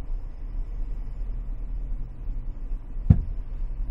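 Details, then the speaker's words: Engine idling while an XTOOL D7 scan tool runs a bidirectional AC relay activation test: over an even low idle rumble, one clear thump about three seconds in as the AC compressor clutch engages normally. "so let's try the ac relay just for fun turn the ac pump on"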